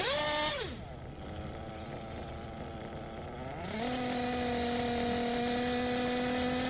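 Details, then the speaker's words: Tekno RC buggy with a Blok 21bm nitro engine: revs drop, then climb cleanly and hold a steady, crisp high tone without hesitation or bogging after the bottom-end needle was leaned out in steps. The bottom-end tune is now correct, ready for mid-range tuning. "I like how that sounds so I think we're gonna leave that there we'll check it this one or two more times here yeah that sounds good so we're gonna leave that"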